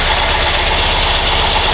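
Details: Porsche 912, Dellorto DRLA carburettors with update kit: steady even idle with a smooth low beat and constant hiss, no misses or knocks; idling cleanly while the generator output is checked.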